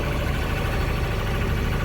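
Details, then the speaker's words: Endeavour 32 sailboat diesel just launched, after replacing the start switch and push button and rewiring: steady low chug at idle, even and smooth with no misses or knocks, shifts smoothly; running healthy. "hopefully you can hear that sound but that's the sound of a diesel running got the switches figured out uh everything is running really well"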